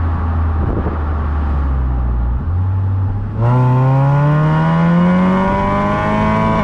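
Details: 2008–14 Honda Accord Euro CU2 K-series on its first drive after fitting a Vibrant Ultra Quiet resonator, heat-wrapped PLM downpipe and high-flow cat to cure a buzz; soft idle, then a smooth rising tone pulling away, no drone; normal exhaust note.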